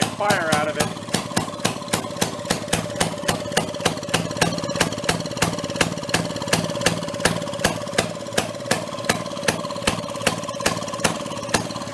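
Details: 1937 Maytag two-stroke washing-machine engine, bought non-running at a flea market, running steadily: sharp, evenly spaced firing cracks about two or three a second, each with a ringing tail; normal healthy running.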